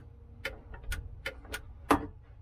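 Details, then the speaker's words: Boat's 36V relay switching 12V to the roof puck when the trolling motor power is turned on: a handful of crisp, dry clicks about half a second apart in a quiet space; normal relay operation. "All that relay does is close the switch between the 12 volt and the puck on the roof."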